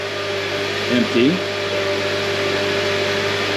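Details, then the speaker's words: 2009 Honda Accord, idling during lock-to-lock bleeding after replacing power steering cooler tube, hoses and serpentine belt: steady mid-pitched pump whine, likely from air left in the system after refill. "now the pump is going to make some noise because it was probably"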